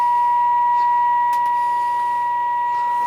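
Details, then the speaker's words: Realistic Navaho TRC-457 CB receiver fed by a signal generator, 1 kHz tone at 30% modulation: tone only heard around -70 dBm, clean steady tone over quiet background, low receiver sensitivity, cause unconfirmed. "I got this signal generator on. It's on about minus 90 dBm. 30% modulation, 1 kilohertz tone. And about minus 70 dBm. I can hear a tone in the radio."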